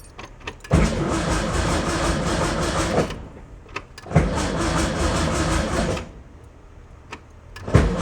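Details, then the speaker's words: 1971 VW Beetle convertible with a battery-drain complaint, battery terminal just reconnected: three strong, even cranking bursts of two to three seconds each, no clicking. Starter working normally. "So, that part of it seems like it's actually doing what it should be doing."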